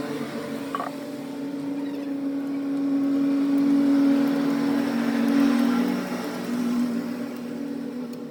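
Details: Hero Glamour motorcycle single idling with steady drone and faint rattling tick, attributed to a loose, worn timing chain.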